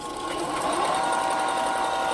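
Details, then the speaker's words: About 4-inch belt sander, unused for a while, test-fired after belt tension set via lever and dial: smooth, steady motor hum with even belt whir, no knocks or flapping; normal running. "yeah. Oh yeah. That's some sanding joy right there."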